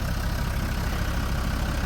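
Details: TD5 Land Rover Defender diesel after fitting a new starter motor, rebuilt original starter, new crank position sensor and wiring overlay to cure no/hard-start problems (previously took three or four cranks when hot): steady, even idle, low rumble, no misses, knocks or hunting; normal idle.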